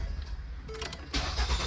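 A short crank catches promptly and settles into a steady idle; the engine starts and runs normally.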